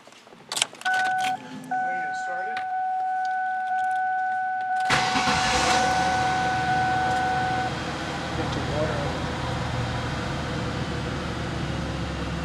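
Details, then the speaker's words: Ford Taurus 3.0 OHV Vulcan V6 just after replacing all six spark plugs and wires: key chime, then it fires and settles into a quiet, even idle with no misfire or ticking, noticeably quieter than before. "definitely a lot quieter. I should have got a video of it before I did this."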